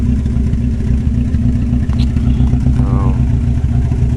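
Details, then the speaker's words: Four-cylinder with a blown head gasket, about 40 minutes into idling after Steel Seal: low, uneven idle still skipping occasionally, less smoke; suspected cause is water in the oil. "sounding a little better still skipping a little bit now in a little bit but uh it's probably because it's got water in the oil"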